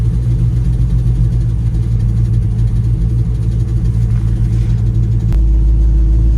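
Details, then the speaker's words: LSA-swapped Chevy Suburban after torque converter replacement, test drive: deep, even engine rumble under light driving with one smooth shift, no clunks, slipping flare or whine; converter lockup works, sounds healthy. "Everything seems to be going good so far."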